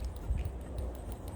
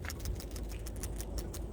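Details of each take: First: Old PCV valve removed from a 2018 Subaru Legacy 2.5L at over 80,000 km, shaken by hand. Only a faint, barely audible ticking rattle; owner concludes it is clogged. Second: New replacement PCV valve for a 2018 Subaru Legacy 2.5L, shaken by hand. Crisp, quick clicking as the check ball rattles freely: the valve works normally, unlike the clogged old one.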